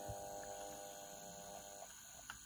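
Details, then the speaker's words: International-branded personal cassette stereo, mechanism exposed during belt and tape-path service, playing: faint steady buzzing hum with a thin high whine under low playback, mains interference from a nearby fluorescent light that stops when it is switched off. "we've got humming because I've got a fluorescent light on at the moment. If I turn it off, so that's where that's coming from."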